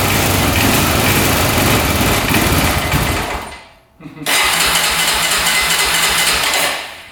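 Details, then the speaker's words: 2004 Honda 400EX single-cylinder quad after a carb clean, valve adjustment, new coil and new plug: it runs rough, backfires heavily, and sags almost to nothing before catching again. It is still bogging; the coil was not the cause. "I can hear backfiring like crazy. Yeah, I don't think the coil was a problem. Still doing the exact same thing."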